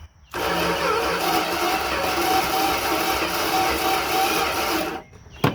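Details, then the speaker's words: 1971 Dodge D100 abandoned 34 years, plugs in, no fuel yet: starter spins the engine about four beats a second for five seconds without firing; probably low compression suspected; cranks but won't start. "it's turning over so that's great probably ain't got a lot of compression"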